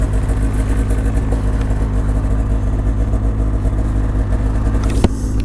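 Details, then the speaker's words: 2006 Ski-Doo Renegade 600 SDI two-stroke snowmobile, just started on two pulls; even, low, steady burble with no knocks, misses or rattles; quiet, normal idle. "Alright, so as you can see, pretty quiet machine."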